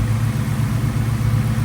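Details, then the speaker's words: 1998 Mustang Cobra after OEM belt tensioner install, idle with very loud exhaust: steady, even low idle with a deep rumble and no chirp or squeak, even with the AC on, so the belt squeak is fixed. "we ain't got no squeak at all which is great great news I tried to put the AC on and everything and make sure it was going to 100% be gone and so far so good I don't hear anything at all which is great great news"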